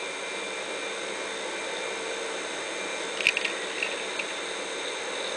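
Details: Electro-Craft permanent-magnet servo motor on 24 volts, measured around 3,400–3,500 rpm with tachometer. Smooth, steady high whine at constant speed, only one brief tick; running evenly: normal servo motor running.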